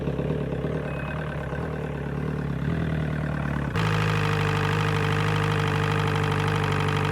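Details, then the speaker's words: Outboard motor on muffs with water hooked up, first start after DIY water pump replacement: steady even idle, smooth low burble, no knocks or misses; it pumps water again and no longer leaks between lower unit and top half, though a drip comes from above. "Peeing, so that's amazing, and it's not leaking out between the lower unit and the top half like it was before, which is good."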